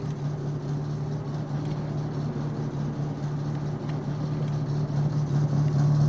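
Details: Summer car misfiring at idle even after new spark plugs: uneven, loping idle at about three or four beats per second with irregular stumbles. The owner suspects the timing is wrong from the last rebuild. A new radiator is fitted and the engine has no coolant.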